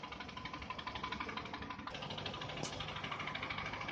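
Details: Toyota Camry 40 with manual gearbox, idling: a steady knock of about four per second over the engine hum appears when the AC fans switch on at low rpm. It disappears when revs rise or the clutch pedal is pressed. Cause undetermined.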